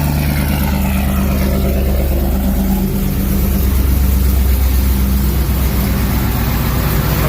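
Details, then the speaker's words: Rumbling, even V8 idle with a light blip, no misses or knocks, on a Ram 1500 swapped to a 392 Hemi, started with AC on after sitting about a week (pump under-primed); it has past fuel-pressure issues, and sounds good. "she's ready now if i start it up again and say a minute or two it'll start right up but it's been about a week running good sounds good"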